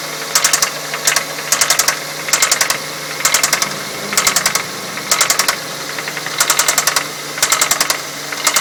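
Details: 2006 Ford Fusion 4-cylinder, 80,000 miles, at idle: sharp metallic ticking in quick clusters, roughly once a second, felt at one spot on the engine. The owner suspects a valve issue or a slapping timing belt; the cause is unconfirmed.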